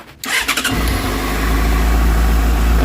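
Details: Motorcycle after replacing failed, melted rectifier that burnt its connector; quick crank, catches cleanly, steady even idle with no misses, charging fine with wires staying cool: normal start and idle.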